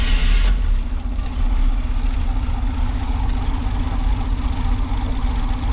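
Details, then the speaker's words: 1979 G10 van cold-started in deep winter snow after sitting, with fuel poured down the doghouse and battery jumped, after first dying from fuel starvation: lumpy, uneven idle, running unhappily. "She's running. She's unhappy, but she's running."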